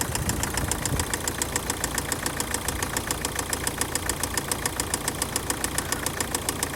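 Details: Opel/Vauxhall 1.7 CDTI (Z17DTL) diesel at idle: steady light tapping, about three to four a second, over a smooth idle; an engine knock or tick, source not yet found.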